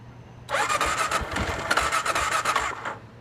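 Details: Gen 1 Kawasaki KLR 650: starter whirs and the engine turns over with rapid, even chuffs for about two seconds but never fires; cranks but won't start.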